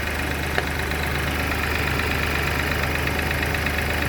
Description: BMW X1 18i b38 ticking sound on cold start.